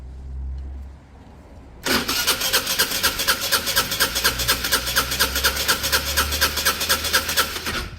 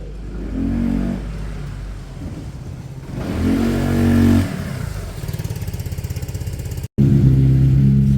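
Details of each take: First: Peugeot Satelis scooter during restoration: steady starter churn with even compression pulses about twice a second, but it never catches because the spark plug is not fitted. A red lock/immobilizer light was flashing. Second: Peugeot Satelis scooter after full restoration, all panels refitted, first run: engine catches, idles with even low putter, revs up and settles cleanly; running smoothly.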